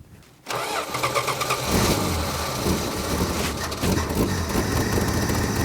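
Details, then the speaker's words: 1966 Plymouth Barracuda Formula S engine; lumpy, uneven, ragged running and heavy smoke; owner suspects distributor moved or a spun rod, cause unconfirmed. "man it's smoking like a freight train did the something happened to the distributor"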